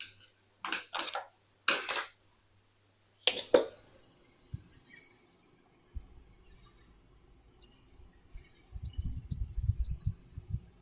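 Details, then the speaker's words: Induction cooker powered on after repair of a blown fuse caused by a shorted component (IGBT and rectifier replaced); sharp high beep at switch-on, then single beeps as buttons are pressed, display lights; normal power-on beep. "kita boleh dengar bunyi tadi, dia on dan display dia menyala."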